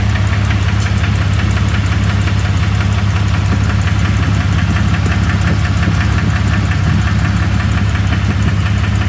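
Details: 2001 Jeep Cherokee 4.0 idling with a steady knock about twice a second under a deep low rumble; the flexplate is new, and the cause of the internal knock is undetermined.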